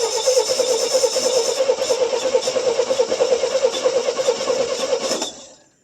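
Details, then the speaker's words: 1966 GMC half-ton, 250 inline six, sat at least two years, first start attempt: even starter cranking about three beats a second for five seconds, never firing; likely no spark because the HEI was not hooked up. "Oh, hold on. I probably ain't got no spark. I didn't hook up the HEI."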